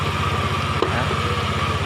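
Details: Honda Beat carburettor scooter after the starter-click fix with an external relay rewired to bypass the CDI relay: a quick, even single-cylinder putter with no misses or stumbles; it starts and idles normally.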